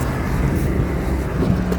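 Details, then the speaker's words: York rooftop unit, forced-air furnace with cooling, R22, 300,000 BTU heating, no-heat complaint, one compressor blown: steady low fan rumble with faint running-compressor hum, loud but even; normal running. "so it started up again no issues i'm gonna do this a couple more times"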